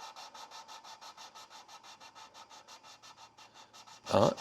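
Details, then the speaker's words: Lapping a valve onto its seat in a big block Chevy cylinder head with compound and suction-cup tool; rhythmic gritty rubbing about three strokes a second, easing and quieter as the compound spreads. Valve seating in normally. "and that's where it got a little quieter. And then I think they said just kind of like pull it out."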